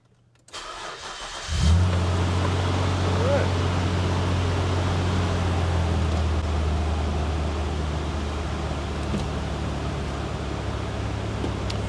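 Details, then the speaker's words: 2002 Nissan Xterra that stalled and sat for months, after distributor work, battery charged, engine cold: catches after a brief crank and settles into a steady, even low idle with no misses or knocks. "There we go. I hear it. It wants to run."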